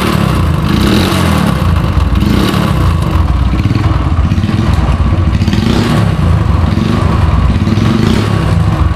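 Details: Yamaha YBR 125 ESD 2017 model at idle: heavy, loose clatter rattles through the engine like stones tumbling inside, as if something has come loose internally; badly worn internally, engine opened for full restoration.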